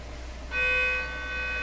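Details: Deforest 10DA517 AM radio: audio test tone injected into audio circuits comes out buzzy and raspy instead of pure; distortion traced to a damaged speaker cone.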